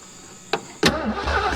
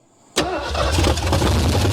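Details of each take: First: 1973 Ford Mustang Mach 1 with a 351 engine, sat over 15 years, solenoid jumped with a connected battery. A sharp click, then the starter spins the engine over briskly and evenly. The starter works. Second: 1973 Ford Mustang Mach 1, 351 engine, sat over 15 years, cranked with throttle worked: rough uneven burst for about two seconds then dies; fires but won't keep running, needs more gas.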